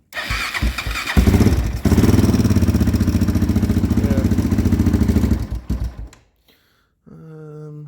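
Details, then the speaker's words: 2001 Honda 400EX ATV, engine had locked up, freed by turning backwards 1/4 turn; owner suspects one-way bearing: quick start, fast even thump about four beats a second stumbling and dying on choke, then runs with choke turned down. "Let's try to turn the choke down. Yeah, there it is. So it's running again."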